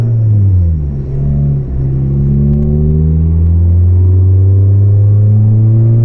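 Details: Volvo 440 driving, exhaust section broken apart and hanging loose: loud, deep, raw roar climbing with revs under acceleration, much louder than normal; exhaust leak.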